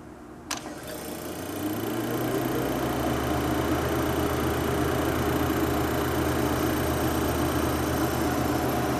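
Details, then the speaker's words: Serviced Cavalier Coca-Cola cooler condensing unit with a lubricated fan motor, started from the thermostat: a click, then a steady low hum with the evaporator fan louder than the compressor, a normal compressor startup. "The evaporator fan makes more noise than the compressor starting, I think."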